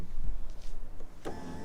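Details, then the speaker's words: 2003 Ford C-Max power window: motor whirs steadily but the glass does not move; owner suspects the window regulator mechanism needs replacing (the other door's motor makes no sound and is thought dead). "voilà il fait du bruit mais ça descend pas et là bas il fait pas de bruit du tout donc là je pense que moteur et de dead mais là je pense c'est juste le mécanisme a changé"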